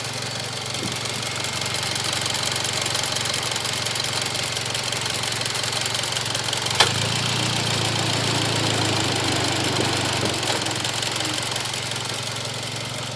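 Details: Mitsubishi Evo X GSR idling, heard from outside the car and not audible inside: a light, fast tick from the top end with faint turbo hiss; the ticking was louder than before but is normal, with many trouble-free miles since.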